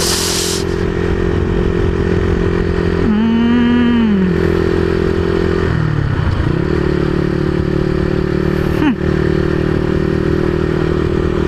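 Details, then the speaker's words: Honda CBR150R single-cylinder with open pipe, after carburetor cleaning and adjustment; previously stalled seconds after revving, owner found fuel cock not on reserve; steady drone holds through brief rev and settles without stumbling, normal running. "Parang parang yun na talaga yun eh kasi ayan oh tuloy-tuloy na yung andar natin oh"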